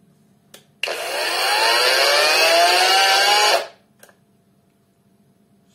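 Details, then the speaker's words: New cordless angle grinder from AliExpress, second battery fitted: motor spins up with rising whine, runs about three seconds, then cuts dead, same as with first battery; cuts out after start, owner suspects flat batteries. "вторым аккумулятором все то же самое. Останавливается сразу же."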